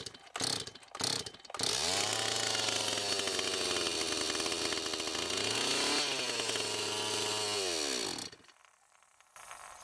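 A few pulls, then it fires and screams with the revs wavering for about six seconds before cutting out; the carburetor needs setting. Cause suspected, not confirmed.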